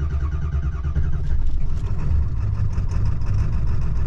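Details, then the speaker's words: 2002 Ford F-250 7.3 Powerstroke diesel, chilly out, hard first start after glow plugs; deep steady clatter with even rumble, no stumbles; normal cold idle. "all right it's a little cold but basically that's a normal idol so it seems to be running fine right now"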